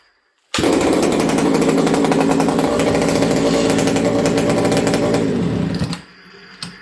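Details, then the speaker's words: Buckin's ported XL 922 Super chainsaw, an old saw: fires instantly and holds a crisp, steady high-revving buzz for about five seconds, then drops off cleanly; judged good to go, normal running. "Okay. Yeah, I think this thing's good to go."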